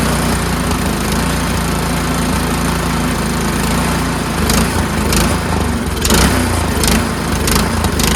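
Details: Troy-Bilt Storm 2410 two-stage snowblower, just after cleaning and refitting the pilot jet: fairly steady run, then speed swells and sags slightly every second or so, better but mild surging remains.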